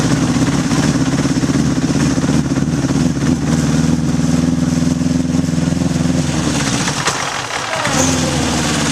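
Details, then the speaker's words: 1981 Honda CB750 K1 four on test ride, partly on choke: engine bogs and stutters under throttle, won't pull cleanly, barely rideable; owner suspects vacuum leaks, carbs probably out of sync. "all right just things barely unrideable half that time I was riding with the choke on and it's bog and it's stuttering it's just not running right so I'm guessing there's some vacuum leaks and probably carbs are out of sync"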